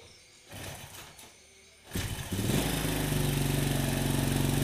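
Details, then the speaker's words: Honda Supra motorcycle fouling spark plugs and blowing black smoke despite new carburetor; fast steady idle with throttle fully closed, carburetor air screw set too open, idle speed too high. "Ini posisi gas nutup total nih Kang Bro. Gasnya tuh berarti setelan anginnya kencang sekali nih."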